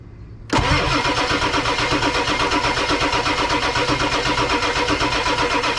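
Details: 1999 Ford F250 Super Duty 7.3 Powerstroke diesel, abandoned over 6 years: starter spins the engine with an even quick chug about four times a second while building injection control pressure (about 3200 psi), but it never catches.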